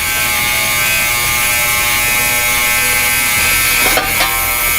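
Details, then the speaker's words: New Yescom 6L stainless ultrasonic cleaner just switched on with heat and a 30-minute timer, tank at 21 degrees: harsh, steady high-pitched buzz that never lets up; owner unsure whether this racket is normal; cause unclear. "really makes a racket. Listen to that. I wonder if it's supposed to sound like that. That is terrible."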